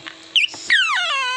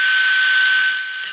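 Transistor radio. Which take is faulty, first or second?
first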